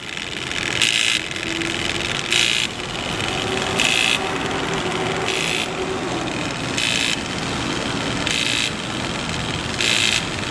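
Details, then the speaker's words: DJI Phantom 3 Professional camera gimbal with sharp high buzzing bursts about every second and a half that never stop, showing gimbal motor overload and blurring video; cause not confirmed. "okay that's what I'm getting all the time gimbal motor overload and you can hear it and will not stop even though when I'm in the air flying recording it's always doing that gimbal motor overload"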